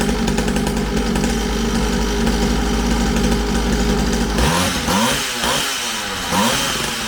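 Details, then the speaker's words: Syx Moto 50cc two-stroke dirt bike after pull-start repair, coil replacement and idle adjustment; steady, even idle buzz for several seconds with no misfire or stumble, then the note shifts; runs healthy. "i adjusted the idle on it it runs pretty decent now"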